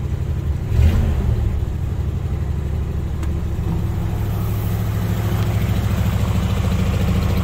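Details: Ford Bronco after carburetor work, air cleaner refitted: low, lumpy rumble that picks up as the engine is revved; runs, but no clear sign the carb work smoothed it out. Cause suspected, not confirmed.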